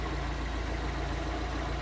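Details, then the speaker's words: Fiat Palio Fire 1.0 8v idling after replacing the burnt exhaust manifold gasket: smooth, steady low idle with even firing and no ticking; the noise is gone, normal idle. "E aí E aí pessoal acabou o barulho papelzinho rodando aí"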